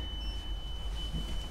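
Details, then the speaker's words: EX30 on return after its first long ride: a thin, steady high-pitched BMS warning beep over a low rumble. Low range is blamed on at least one faulty battery pack; a fast-charge attempt is planned. "so that is the BMS and uh so that's the problem with uh why I'm getting low range is at least one of the battery packs has a has an issue"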